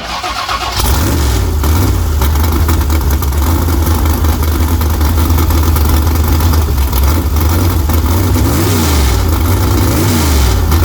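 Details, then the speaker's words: Small-block V8 after engine swap, timing advanced about 8–10 degrees and carburetor adjusted: deep crisp bark snapping cleanly on each blip and settling evenly, no miss; healthy revving. "Hell yeah, it's snappy as a motherfucker, ain't it? It sounds good. It sounds fucking good. Sounds like a damn race motor, that."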